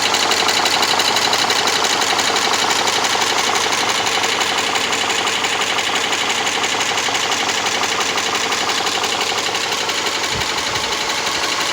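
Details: Subaru Legacy 2.5 SOHC petrol engine idling with a fast, even ticking, about three ticks a second, over the steady run.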